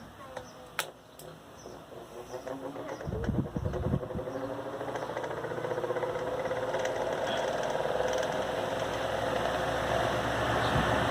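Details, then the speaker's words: Arno Versátile pedestal fan, grille removed, during blade balancing with tape marking blades: growing shuddering rattle about four times a second, shaking worse with weight on this blade; fan blade imbalance causing heavy vibration. "Olha só como está trepidando mais ainda. Essa ainda está pesando mais do que a primeira que eu comecei."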